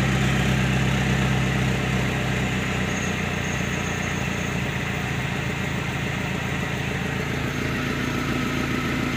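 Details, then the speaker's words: Suzuki Carry Futura fuel-injected, which stumbled and bogged on sudden throttle, after servicing the throttle body and sensors; smooth even note through the rev test with no stumble or hesitation, throttle response now normal. "Baiklah sobat semua seperti ini jadi Alhamdulillah sekarang sudah bisa dikatakan normal gasnya setelah kita servis Turtle body maupun sensor-sensornya"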